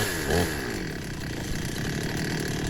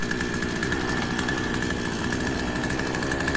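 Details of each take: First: Two-stroke petrol chainsaw, long unused, just started after ignition coil replacement, warming up: steady fast buzzing note holding even at low revs, no hunting or misses; smooth idle. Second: Two-stroke petrol chainsaw, unused for a while, just restarted after an ignition coil replacement and left to warm up. It holds a fast buzzing idle well above normal with brief dips and surges; revving high, and the idle looks set too high on the carburettor.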